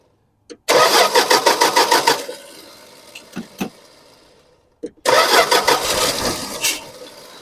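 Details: 1974 Dodge Dart Swinger that sat a while, after adding fuel: rapid even cranking about three beats a second, stops, cranks again without catching; slow start, owner suspects sticking starter Bendix or missing flywheel tooth.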